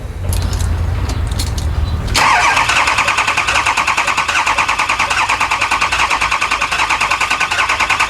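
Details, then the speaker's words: Lifted 4x4 6.0 Powerstroke diesel van, back with a no-start after a Bulletproof repair, cranked for a relative compression test: steady, even pulse about three per second with no weak beats; compression good; mechanic suspects cylinder two damaged by a previously replaced injector. "so well our relative compression is good we're probably gonna find number two cylinder is damaged from the injector that was replaced before it came to us"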